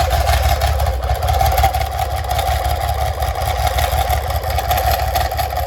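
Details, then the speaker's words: BMW K75 at idle after gearbox and clutch work, intermediate housing spring plate suspected installed on the wrong side: deep, steady idle under a constant mid-pitched gear whir. Starter/alternator drive gear noise. "So the whole thing, the gears that are related to the alternator and the starter motor are not sounding really good."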